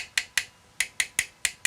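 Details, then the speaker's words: Tapping the radiator of a water-cooled PC in an old HAF 932 case after filling and priming a new reservoir: eight sharp, bright taps, none ringing hollow, so the radiator is full of coolant. "I'm gonna call it good there, because we could be here all day trying to get every little bubble out, but at the end of the"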